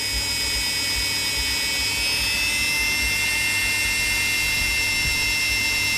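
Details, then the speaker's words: Electrolux EWF771 7 kg front-load washer in the spin-dry test after a no-wash, no-spin, motor-not-turning fault: steady high whine and even hum, no knocking. Empty drum very steady with no shaking, and the drum bearings are still quiet. "ถือว่าตัวลูกปืนถังยังแจ่มเลยนะไม่เจ้าอะไรไม่ดังนะครับหรือว่าเขาเปลี่ยนแล้วก็ไม่รู้นะ"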